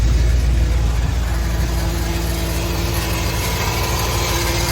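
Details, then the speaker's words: 2010 Subaru Forester XT (EJ255 turbo), about 125,000 miles, first start: steady mid-pitched whine over slightly uneven rumble with a misfire; turbocharger is smoked/failed. "oh that turbo's smoked okay it has 125 on it not 104 but that's still acceptable for me"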